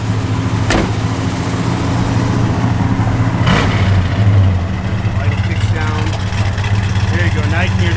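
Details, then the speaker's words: 1970 Plymouth Road Runner, matching-numbers 383 V8 with small cam, Edelbrock 4-bbl and aluminum intake, headers, H-pipe dual exhaust, 4-speed: deep, lumpy, throaty idle with quick blips, even firing, no knocks or ticks; healthy cammed V8, good oil pressure. "Now you can hear that cam working. Good sound. Throaty."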